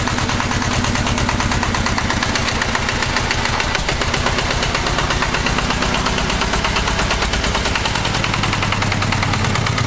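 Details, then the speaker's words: Walk-behind tractor (motoblok) single-cylinder engine after teardown and rebuild with new bushing, running at mid revs on hand throttle; previous knock gone, slight gear wear remains; fast even thumps, no knock, healthy normal running. "у меня движком довольны как собрал все стук перестал да там на шестернях есть износ немножечко"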